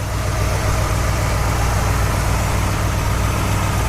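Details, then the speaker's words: 1968 Ford Mustang with 289 V8 at idle and a rev: a deep, steady, even burble with no rattles, ticking or exhaust leaks. A normal, healthy idle. "Why don't we start it up? You can hear it run. You know, sounds good, sounds nice and healthy, runs real smooth."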